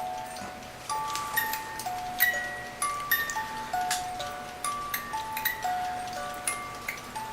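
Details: 1950s German-made Reuge wind-up ballerina singing-bird music box alarm clock, tune possibly Vienna Life Waltz; bright plucked tune plays evenly over light ticking after reassembly, no dragging or skipped notes, alarm working properly.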